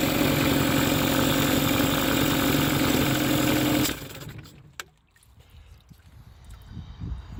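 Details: Mercury 15 hp outboard idling with an uneven popping beat around four per second, then stumbling and dying; backfiring and misfiring, cause not diagnosed.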